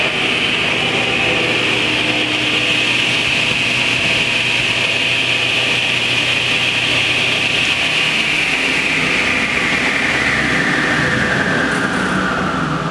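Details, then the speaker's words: Delta Unisaw table saw, repulsion-induction bullet motor under repair, brush ring set for proper rotation: steady high whine over an even hum, no knocks or grinding, pitch easing near the end; blade spins the correct direction, normal running. "and you can see the blade is spinning proper direction"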